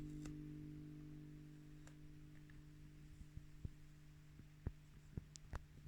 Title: Blackstar silverline standard buzzing noise issue